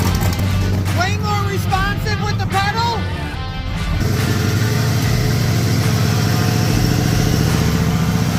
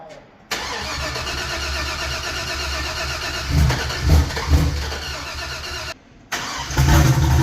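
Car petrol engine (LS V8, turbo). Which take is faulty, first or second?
second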